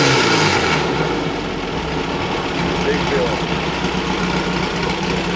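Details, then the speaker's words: Air-cooled engine idling with an even, busy chuff of about four beats a second, no pre-ignition, pinging or knocking; starts easily and runs really good. "Damn, no pre-ignition, no nothing. Runs good. Runs really good."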